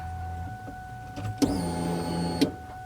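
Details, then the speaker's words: 1999–2004 Mustang GT with a Coyote swap and PBH Gen 2 manual control pack, camera placed close to the pumps, key on: a click, then a steady electric hum that stops cleanly, a normal fuel pump prime of about 2–3 seconds. "you're gonna hear the fuel pumps kick on for about two to three seconds and shut off"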